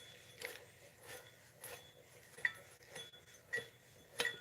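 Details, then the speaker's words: New replacement water pump for a 2009 Dodge Ram 1500, spun by hand: only soft, irregular finger taps over near silence, no rumble or grinding; bearing smooth and quiet. "All you can hear is my fingers hitting that. So, I think that's a win."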